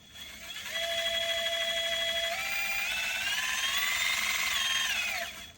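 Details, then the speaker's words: RC crawler with a 900 kV 3648 outrunner on an AG Innovations Ninja micro ESC and a 3S battery, under load: smooth whine climbs with speed, holds steady, then winds down evenly, turbo-diesel-like, no grinding or stutter; healthy. "And the motor under load has a very turbo diesel."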